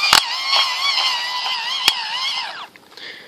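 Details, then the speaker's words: Eton hand-crank USB charger after about an hour of cranking; high whining drone with sharp periodic clicks, grinding from the presumably plastic internal gear mechanism, which slips; teeth possibly worn. "maybe it's not slipping so bad in the other direction now maybe it's worn itself new teeth"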